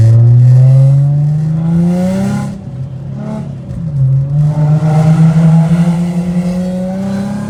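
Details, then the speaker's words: Infiniti G35 coupe (VQ35DE), driving with downshifts (owner notes around 60 mph): clean deep exhaust note climbs through the revs, dips on the downshift and pulls back up; no ticking or puffing leak, healthy exhaust. "that's the one thing I love about the freaking exhaust on this car it's a downshift it always sounds so good no matter what uh gear I'm downshifting into"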